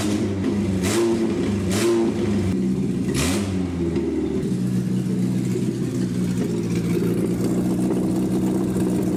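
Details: 1967 Austin Healey Sprite after years of neglect: engine pulls through a few rev rises then settles into an even steady drone while driving; no knocks or misses, running well.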